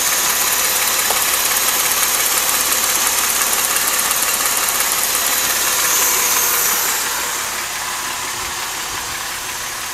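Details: 2005 Mercedes SLK350 with M272 engine at idle: a fast, regular, light knock, about three per second, over a hissy engine note. Present since 80,000 miles; owner suspects a scored cylinder wall. The engine later failed at around 130,000 miles.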